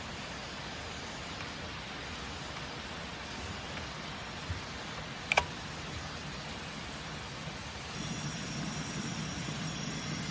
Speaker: So I've got 100 PSI here, and 75% of what I'm putting in that cylinder is leaking out. I can physically hear something going on. So if I put air in this cylinder and it's coming out this cylinder, I think I've got a head gasket blown between cylinders.